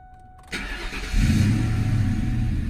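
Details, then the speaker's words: Ford Mustang after overheating, with new performance intake manifold, water pump, thermostat, temperature sensor, fresh oil and cooling-system flush with water: brief crank, catches within about a second and settles into a steady idle; starts readily, runs normally. "Starts up like nothing. It still has to run all that water through it and stuff too."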